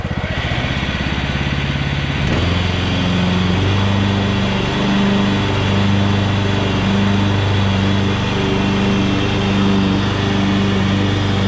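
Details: 2014 Ariens (Husqvarna) 42-inch riding mower after the reverse and brakes were repaired, moving off to cut grass. A steady, even engine drone that rises slightly under load, with no knocks or misses; runs well, needing only minor tidying.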